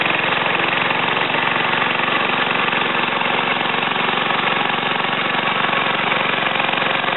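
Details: Ariens TA20A Trans-a-matic rototiller, single-cylinder engine rebuilt and clutch repaired, carburetor untouched; steady even putter, no misses, knocks or surging; normal running.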